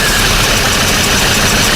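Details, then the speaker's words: Rebuilt Golf 7 GTI petrol engine at first start after the rebuild, turbo pipes not yet fitted and slow to rev: steady smooth idle with a loud airy hiss, no misfire or knock. "Okay. So, if you don't have a misfire, don't get a misfire. Yeah. Very smooth."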